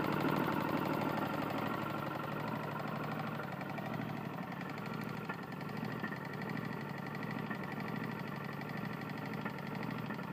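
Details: Tecumseh lawn mower engine running: dull repeating knock about three a second over its drone; connecting rod knock.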